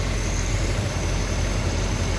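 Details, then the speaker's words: Hemi V8 muscle car engine idling at 14 degrees initial timing, vacuum about 13.5 inches; deep, even rumble with no tapping or stumbles, normal idle. "It's probably very difficult to see on the camera, but we're sitting at 14 degrees of initial or base timing."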